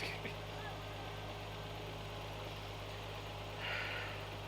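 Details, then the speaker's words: Nissan Skyline just started after sitting two years, since its first oil change. A quiet, steady low hum with an even beat and no knocks, ticks or misses; it idles cleanly. "it started almost right up and it sounds to be running clean it sounds running pretty good so that's good doesn't sound like it's doing anything weird"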